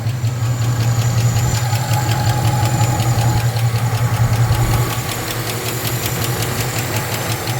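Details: Supercharged (Edelbrock E-Force) 2008 Chevy Tahoe LS V8, noise started while driving: sharp rhythmic ticking, about two to three per second, over a deep steady idle rumble, seemingly from one side; collapsed lifter.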